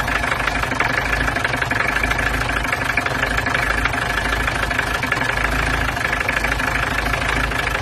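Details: Peugeot 505 GLD with XD3 diesel, just started after a cylinder head gasket replacement and fitting of combustion chamber inserts: even diesel clatter at idle with a steady rhythm and no misses or extra knocks, a healthy smooth idle.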